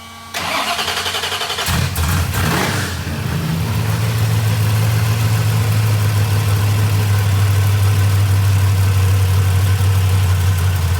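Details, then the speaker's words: Fresh small-block Ford 427 Windsor V8, first start, timing unset, near-solid-roller hydraulic roller cam with limited-travel lifters: cranks briefly, fires and settles into a loud lumpy idle loping about four times a second; sounds like a race car, running fine. "That thing sounds crazy. Yeah, sounds like a race car. It does. It literally does with a hydraulic roller."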